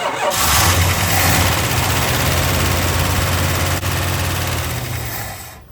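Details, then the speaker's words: 1965 Chrysler 300L with a 413 engine, long-sitting, started on a borrowed battery: it settles into a fast idle with light, regular top-end ticking over the rumble. Lifter noise; the top-end noise was fading as it idled. "yeah there's definitely some lifter noise"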